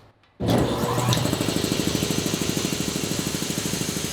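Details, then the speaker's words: New shop air compressor first start, mic pointed at it: fast steady pumping thump with loud airy rush because a tank valve was left open, dumping air. "Oh, there's a valve open. Oh, no. That's why it was louder."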